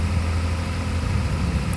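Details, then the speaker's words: Yamaha NMAX V2 scooter after engine repair from neglected oil: smooth low hum at steady idle, 1,500–1,600 rpm, 85 °C and stable, no ticking, knocking or wavering; engine idles cleanly and healthy. "Yung RPM standard 1.5 to 1.6. Alright na. Temperature still 85 degree Celsius."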